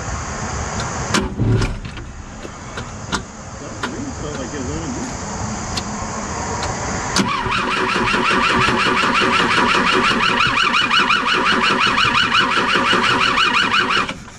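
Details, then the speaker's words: BMW 2002 after an engine fire and flooding through a leaky sunroof; starter cranks steadily about three turns a second but never fires; owner suspects no spark, smells fuel, melted wiring found: crank, no start. "all right try now i don't think she's sparking smells like fuel"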